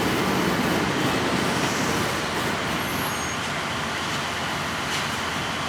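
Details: 1953 GE 80-ton long-frame diesel locomotive, last run 1998 by the Navy, just revived after joining wires for the coil: heavy steady roar, loose rhythmic pulse, faint air hiss; pulling under load properly. Air throttle has dead spots, likely loose wiring.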